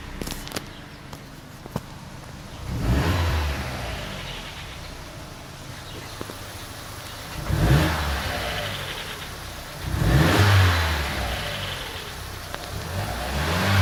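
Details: Vauxhall Corsa OPC/VXR, strange noise after an oil change: three clean blips from idle with an odd extra sound rising and falling with revs; source can't be pinned down by ear.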